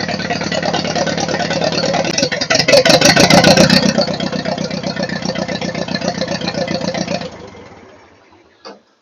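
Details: Ford 8N tractor after sitting for years, rewired with a 20 A fuse, fuel on, in neutral: rapid even pulses about four per second build as it catches, run rough but steady, then die away; started fine.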